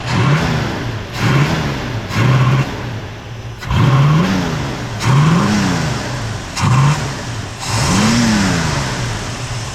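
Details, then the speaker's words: 1971 Ford Mustang 302 V8 with a Holley 2-barrel carburetor and points ignition, base timing 8°: repeated throttle blips rise unevenly and sag before catching. Hesitation on acceleration; suspected wrong jetting or a carburetor clogged from sitting. "It almost sounds like it's restricted or something, like, or it's just not jetted right. We got a Holley 2-barrel, points ignition."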